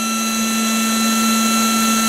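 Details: Battery-powered air pump running while inflating and deflating a Coleman air mattress, after the batteries were reinstalled the right way up: steady high motor whine with constant pitch and rushing airflow; running normally.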